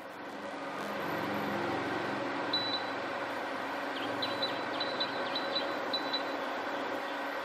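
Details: Sevilla SV-212II induction cooktop, repaired after showing display but not heating, tested with pan as power stepped up to high levels: steady fan whir under a quick string of high beeps, normal, no buzzing or clicking.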